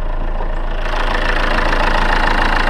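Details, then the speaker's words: 2014 Chevrolet Cruze 2.0L turbo diesel, automatic, idling with the hood open, rubber-damped engine with slight vibration: steady fast diesel clatter, even rhythm with loud ticking top end, noticeably noisy under the hood; normal idle. "as you can tell, it gets pretty noisy once you open up the hood."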